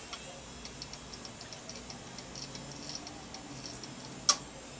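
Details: Western Digital hard drive from an HP Pavilion M376 media center PC, tried with a circuit board swapped from another drive: faint, irregular dry ticks and one sharp click; the drive still won't boot (MBR error).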